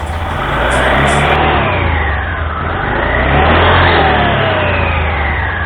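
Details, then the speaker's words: Honda Scoopy (Scoopy Donut) scooter after replacing a worn drive belt and damaged front roller housing that had made it noisy: it revs up and settles smoothly, with no slipping, judder or grinding. "Dan setelah dirasa semuanya telah baik, berfungsi dengan benar, maka baru kita akan memasang kembali semua yang telah kita bongkar, mengembalikannya ke posisi sebelumnya."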